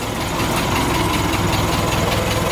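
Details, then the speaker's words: 1915 Ford Model T four-cylinder petrol engine with clutch transmission, just hand-crank started with one choke pull, spark advanced: steady, smooth idle with an even low chuff and audible coil buzz, before warming up. "we'll give it one choke that's what this little pull is here now you can hear the coils buzzing Advan the spark you can hear it smooth"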